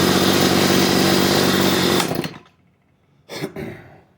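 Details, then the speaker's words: CS310 chainsaw at idle, chain kept spinning despite turning down the idle screw; idle drone cuts out abruptly when the chain brake is applied, indicating a dragging clutch rather than a carburetor problem. "if you go and you throw that chain break on and it dies just like it did that is indicative of a clutch problem not a carburetor problem"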